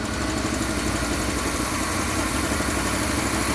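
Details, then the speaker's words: 1970s Pontiac Phoenix V8, off the road 20+ years, first run with a suspected carburetor vacuum leak and some smoke: a steady idle with a light, quick ticking that follows engine speed. Owner says one rocker arm is making noise. "got to seat those Rings don't we yes we got a rocker arm making a little noise yeah come on pick them up we need all eight"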